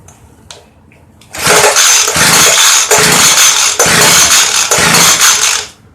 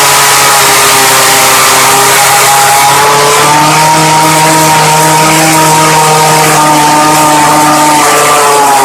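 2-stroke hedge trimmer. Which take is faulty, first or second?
first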